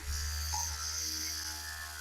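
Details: About 25-year-old Privileg vibration massager, DC motor, after the worn bearing was fixed; steady, even low buzz with smooth hum, no rattle or scraping, running normally.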